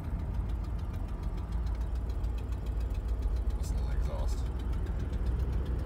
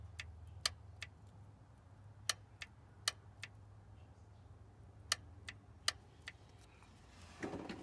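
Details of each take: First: 1990 Oldsmobile Custom Cruiser 403 engine with 200-4R transmission, fourth gear with torque converter clutch locked up at low speed; deep labored rumble with slow uneven throb as the engine lugs, converter engaging too early. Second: 1990 Oldsmobile Custom Cruiser, 403 engine, 200-4R transmission, no fluid in the solenoid, key in run: sharp dry clicks over a faint low hum as power is applied and released; torque converter clutch lockup solenoid clicks normally when energized.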